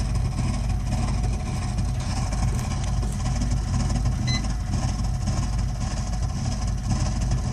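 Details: Burnham Alpine boiler with a continuing loud-noise problem: deep, heavy roar with a constant low rumble and no clear rhythm; the burner is combusting loudly, cause not yet found.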